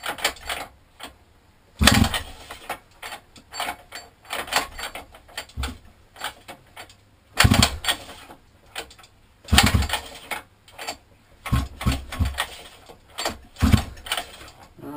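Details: 50cc mini moto quad left outside a year, with a new carb, air filter and pull start: repeated pull-cord yanks give short rasping crank bursts but it never fires; no-start, cause unconfirmed.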